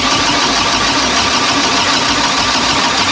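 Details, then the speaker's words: Honda K24-swapped sand rail with replaced ECU board, fuel pump primed: starter churns with a rough hissy drone but engine never catches; no tune file loaded on the ECU, so no start until uploaded. "Alright, so obviously the ECU's been modified, has been replaced, the motherboard's been replaced, so I totally forgot to upload that."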